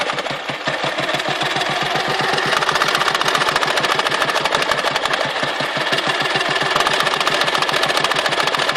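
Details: Dnepr motorcycle engine, 2014: uneven thumping beat with a hard intermittent knock; when knocking, power drops and carburetor spits fuel, when gone runs smooth with normal power; knock disappears at high rpm or before stalling; cause unknown.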